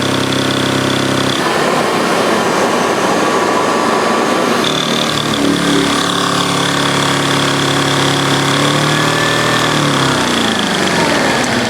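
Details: 1930 Hoover 800 vacuum cleaner after refurbishment and electrical rework: the motor spins up to a steady whirring hum, then settles to an even, unchanging tone with no grinding or rattle, a healthy run.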